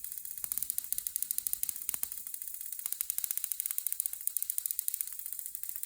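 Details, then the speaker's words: Homebuilt Tesla-style high-frequency high-voltage generator (neon sign transformer, capacitors, spark gap) at the lowest power setting, rod held near the secondary: quick, even, crisp snapping sparks at a steady rate with no hum; spark gap firing normally. "And again, everything about this right now is as low power and as weak as we could possibly get it. Just because it's late. I'm not trying to make too much noise."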